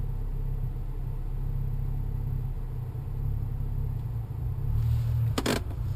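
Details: BMW N55 with JB4 Stage 2 and a BMS downpipe: a deep, uneven idle rumble with a wavering low beat, then a burst as it falters and stalls; rough idle, cause unknown.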